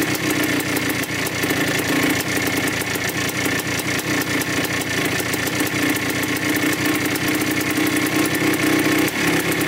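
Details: 1987 Yamaha YZ 490 two-stroke after carburettor rework for bogging, warming up: crisp, rapid popping that settles into a steady idle with clean blips. The air screw is at 2¼ turns out, in spec, and the pilot circuit sounds right.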